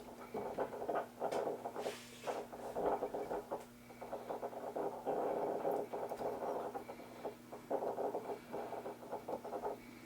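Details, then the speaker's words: FADA 175A three-dial radio from about 1924, not working; steady low hum with scratchy crackles from the speaker as the three dials are turned, but no stations: no reception, faint speaker noise. "You can hear a little bit of noise out of the speaker as he's turning the dials, the 3 dials in front, but no stations."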